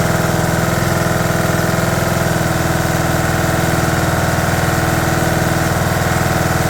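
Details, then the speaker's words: 2011 John Deere D110 mower, engine reassembled from boxed parts, restarted off choke, throttle cable not hooked up, expected to smoke: quick even single-cylinder thump around three beats a second, smooth, no misses or knocking; runs good. "Okay, fire up, buddy. Wow, runs good."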